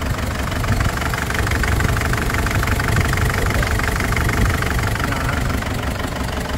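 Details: Ford Everest diesel with heavy smoke after another shop replaced only the valve cover gasket: lumpy, uneven idle with a recurring missing beat, as if one cylinder keeps dropping out; suspected leaking valve or broken rocker arm, cause not confirmed.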